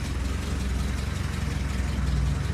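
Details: Willys Jeep engine warming up after nearly 15 years unused; oil pressure present, water temperature rising: low, even idle pulse with smooth regular beat, no knocks or misses; healthy.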